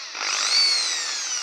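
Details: Makita 6413 drill tested after repair (new 627 bearing fitted, carbon brushes changed): smooth high whine rising then easing off evenly, no rattle or grinding; the drill motor runs normally.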